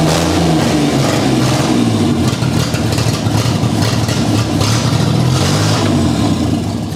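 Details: 1984 Ford Capri with an old carburetor V6, restored after being abandoned, just started with starting fluid; a deep, steady note holding an even rev with no knocks or misfires, strong and smooth; normal running.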